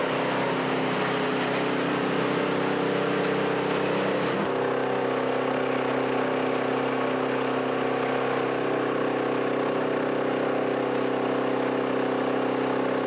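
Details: Chinese walk-behind track dumper after repairs, started on one pull, driving: small single-cylinder engine holds a steady, even drone, slight pitch change midway as load shifts; runs cleanly, now steers and dumps.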